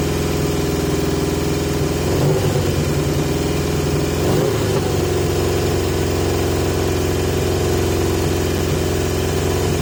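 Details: 1980 Yamaha XJ650 on pod filters with masking tape restricting airflow: idle hangs fast with an uneven, lumpy beat and a couple of flares, smoother than before but still high; owner suspects air intake, not confirmed.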